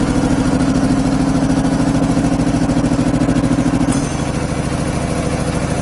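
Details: 25 hp air compressor on single-phase power, 120-gallon tank, about 80 CFM, unloads near 145–150 psi, reloads about 115: steady even pumping thump about 200 per minute, deep tone settling slightly lower after four seconds; running normally under load.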